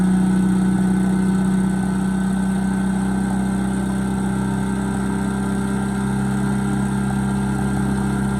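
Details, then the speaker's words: Bolens 3.5 chipper shredder small engine, stored outside about 20 years, first run after revival: steady, even drone with no misses, surges or knocks; running smoothly. "So it works perfectly."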